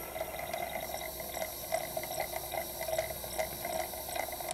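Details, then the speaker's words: Sony PlayStation SCPH-1002 with a replaced optical pickup, still not reading discs: the disc spins up and gets focus lock but fails to read the table of contents, with a quiet whir and irregular seeking clicks as the pickup struggles; fix not confirmed. "and hopefully you can you can hear that the optical pickup's struggling as well"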